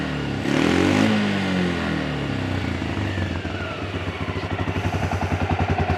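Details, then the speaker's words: Yamaha Grizzly 300 ATV after a no-start/won't-stay-running fuel delivery fix with a new fuel valve (part 1SCF4500-10) and an aftermarket Chinese carburetor: the single cylinder catches, revs up cleanly, then settles to an even idle thump of about three to four beats a second. "got good idle good wide open throttle that little chinese aftermarket carburetor works pretty good"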